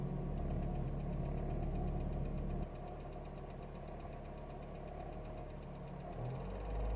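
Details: Renault Megane I phase 2 1.6 16V K4M, warm engine held at steady throttle, recorded in cabin on the passenger side, 2000 km after an oil and timing belt change; dull knock about four a second; loose oil pump chain, with the pump slightly binding.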